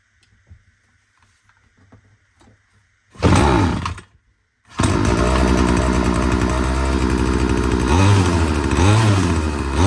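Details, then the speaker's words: Ryobi RBC30SES two-stroke petrol strimmer started after the fuel was primed: it fires after a pause and revs high and buzzy, but bogs slightly on each throttle snap; the owner suspects the carburetor mixture screws need adjusting. "so the first thing I noticed um apart from the uh uh droppings falling out the back of it when I rev it is it is bogging down ever so slightly when I snap the throttle open"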